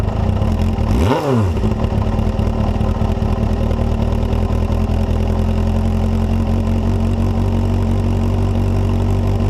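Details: Suzuki Bandit GSF250P (GJ74A) 250cc the day after a full engine rebuild, smoked a bit at first, recorded by GoPro: one quick rev falling back to a smooth even idle with no knocks; healthy running.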